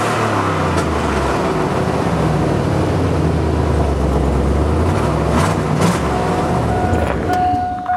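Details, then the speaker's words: Engine with overheating issue sorted running with a loud, raw, harsh puffing exhaust note; blown gasket between exhaust manifold and outlet pipe suspected, needs inspection on a rack. "nice exhaust leak there's nothing I hate worse than an old exhaust leak like that oh it sounds terrible and it blew a gasket out of the between the manifold there and the pipe coming out"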